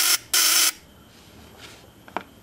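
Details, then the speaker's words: Model T Ford buzz coil, checked good, on 6 V battery firing a test spark plug: two sharp, steady high-pitched buzz bursts from the vibrator points; clean, healthy buzz with hot spark, normal. "but uh this is what you want you want a real hot spark down here at the plug"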